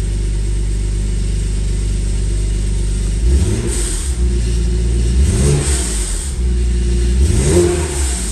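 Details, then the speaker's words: 2014 Jeep Wrangler just after the injectors were reinstalled to chase a misfire, not yet warmed up: a steady, smooth idle, then three clean revs rising and falling evenly. Owner says it sounds very healthy, unlike the weird running before. Normal idle and revving. "all right so I gotta pulled out here and it sounds very healthy did not sound like this before sounded very weird before even when it wasn't misfiring"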